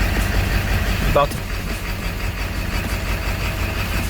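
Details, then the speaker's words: Ford 7.3 Powerstroke diesel idle: rough, surging idle jumping back and forth with uneven clacking knocks and vibration, slight misfire and poor performance, caused by a bad injection pressure regulator (IPR). "but this is a bad IPR and it does the same thing with the idle at idle it'll jump back and forth"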